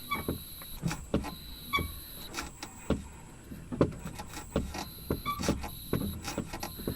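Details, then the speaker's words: Kia EV3 GT Line S after one year of use, recorded in the engine bay and cabin in reverse while rocking the accelerator: irregular dry, spring-like creaks and clicks; owner suspects the brake servo mechanism. "Anyway, from that recording you can hear clearly that I think it's the brake servo mechanism that's making the creaking noise."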